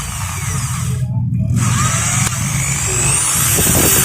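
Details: Maktec MT811 drill tested after replacing the gear, which had slipped so the motor ran but the chuck would not turn: steady motor whir with an even low gear hum and no slipping or catching. Repaired and running smoothly.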